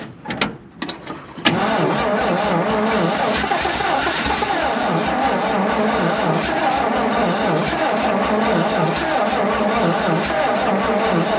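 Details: 1951 Dodge B-series truck, unstarted for at least eight months, first start attempt: long run of steady slow cranking, about four strokes a second, nearly catching but never firing, as the battery runs down and drags the starter.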